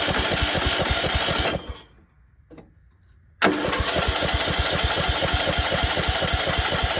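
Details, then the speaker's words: Cheap used riding lawnmower after refitting exhaust with a makeshift 5/16 bolt and no gasket: steady even thumping about four beats a second, brief stall, clean restart; much quieter, still blowing some oil somewhere. "Let me see if the choke is on. That is a lot quieter. Still blowing some oil from somewhere."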